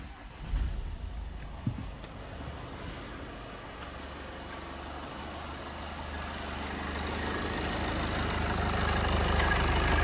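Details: VW Passat Alltrack 2.0 TDI diesel, about 5 years old, cold start; after a few early clatters it settles into a steady, even idle with no knock or rattle, only a slight belt noise judged normal.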